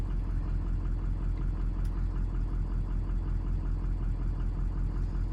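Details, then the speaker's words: 2003 Ford 6.0 Powerstroke turbo diesel, stock except head studs, warmed up (147°F oil, 150°F coolant): deep diesel idle lopes unevenly with a shaky pulse; power balance shows injectors reading low, weak injectors likely needing replacement. "you can feel it look at these injectors low low low low number one low this is a new one number one so i'm pretty confident we're gonna have to do a set of injectors in this truck"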